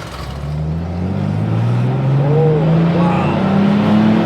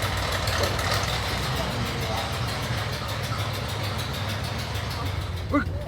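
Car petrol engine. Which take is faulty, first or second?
second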